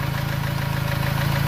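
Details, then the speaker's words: 2.3–2.5 Ford Ranger after sticky-lifter repair: fast, even light tick over a smooth idle, significantly quieter than before, on the driver side near the injectors; owner suspects a noisy injector, unconfirmed. "clearly on the driver side this is where the objectors are a little ticket that we're hearing now so it could be a noisy injector"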